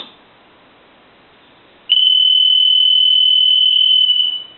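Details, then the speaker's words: Stone piano telephone, final checkout after repair, loudest setting: quiet pause then a piercing steady high buzz for about two and a half seconds; ringer strong and clean. "almost so loud you can't hardly take it"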